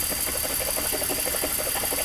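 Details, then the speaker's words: 2004 BMW X5 with codes P0300, P0302 and P0303, cylinders 2 and 3 misfiring: lumpy, stumbling idle with uneven chuffing pulses and a hiss; misfire from no compression in two cylinders. "entonces yo ya le cheque el motor no tiene compresión es que el motor no tiene compresión"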